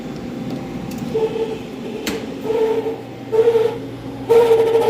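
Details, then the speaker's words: Prep table refrigeration fan, C-frame motor: loud high squealing chirps in bursts about once a second over a low hum, growing stronger; technician guesses a failing motor bearing, motor then replaced with a C-frame motor kit. "That is a bearing going out on a C-frame motor, is my guess. That is pretty funny sounding though. It sounds like a seal that's calling for its lost babies."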